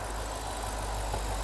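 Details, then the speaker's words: BMW E70 X5 N62 4.8L V8, first start after valve stem seal replacement, water pump and thermostat work, with the oil primed beforehand: a low, even, smooth idle with no misses or knocks as it warms up. "sounds nice and smooth so now I'm going to let it warm up fully"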